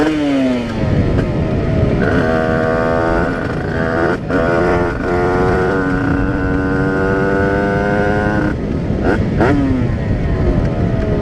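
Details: Tuned 80cc Rieju RR moped (title says 85cc) on its first test ride: brand-new cylinder, carburetor not yet set up, 4% oil mix and smoking. Crisp two-stroke note climbs and falls cleanly with no stumble; normal running.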